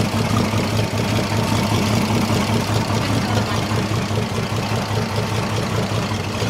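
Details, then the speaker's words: Holden 202 petrol six-cylinder repowering a Caterpillar D2 crawler, first start in about 12 years, with two-stroke oil added to lubricate the top end: smooth, regular, even idle with no ticking, knocking or misfire. It is healthy. "12 years that's not bad listen to that I don't even think ever run that good when we put it in here"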